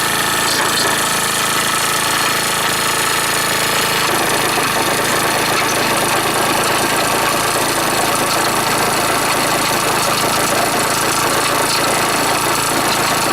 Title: HONDA DIO SDH125T-27 エンジン異音 ベアリング？